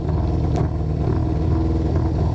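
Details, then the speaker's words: Honda CB500/550 four-cylinder, started cold with no choke in about 90°F Florida heat. The idle was lowered to stop the revs hanging after throttle blips, and it is now deep, lumpy and uneven, close to stalling: idle speed set too low. "when I lower the idle it doesn't do it as bad or as frequently but then it you know it's idling way too low sounds very"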